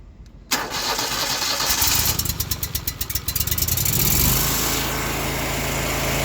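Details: Exmark Lazer Z EFI zero-turn with prior no-start from no fuel pressure at rail despite spark and cranking: starter churns in uneven beats about three per second, engine catches at four seconds and settles to steady even idle.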